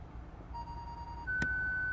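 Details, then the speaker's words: Ford Galaxy parking aid with stored fault B1B53: on activation the worn, damaged front speaker gives one quick mid-pitched beep, then a higher steady tone as the system detects a fault and shuts down; ON light flashes. Speaker fault, before repair. "But hopefully you have heard a quite quick beep, which was the system activating that speaker, but then obviously detects something wrong."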